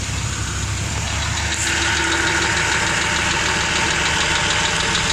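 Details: Truck running with a very quiet, light, quick, even ticking from low down, around the oil pan or transmission; cause not yet known.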